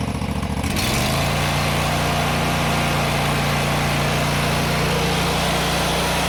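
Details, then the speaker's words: John Deere GT245 mower, previously running rich and misfiring, after fitting a new air cleaner: catches and settles into a steady, even drone with no stumbling or misfire; clogged air filter was the cause; normal running. "Well, I feel dumb now. That was it. My first thought was air cleaner, and that's actually what it was."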